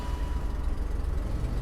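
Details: BMW E39 daily driver idling: deep, uneven puffing rumble from an exhaust leak.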